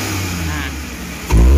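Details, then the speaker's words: Futura 1.5 (1500 cc) car, idle around 900 rpm, after spark plugs found the sole cause of hesitation and shake: steady idle, then a clean quick jump in revs as the throttle snaps open, no hesitation; normal response. "oke memang ternyata cuma businya saja Bro ya tidak ada yang masalah yang lain"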